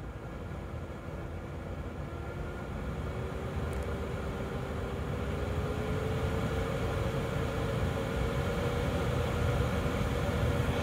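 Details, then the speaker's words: 2012 Chevy Equinox HVAC blower with new blower motor tested across speeds before cover refit; steady airy rush and smooth hum rising in pitch, fast start, replacing the old motor's clicking noise; normal blower operation. "now before I put the cover back on I want to test that motor and I want to make sure that I check every blower speed so oh that is much better you hear how fast that came on"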